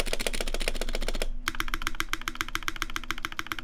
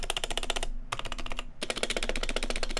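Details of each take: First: Taeha Types x TGR custom keyboard with brass plate, GMK Olivia keycaps, Vintage Black housings with Nixie stems, Krytox 205g0 lube, 72g springs, and lubed, clipped GMK screw-in stabilizers: fast, even, deep, muted clacks with no stabilizer rattle. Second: Fast typing on an off-the-shelf keyboard with loose, clacky keystrokes; poorly damped stock stabilizers rattle on the long keys, unlike a custom build with lubed, clipped screw-in stabilizers.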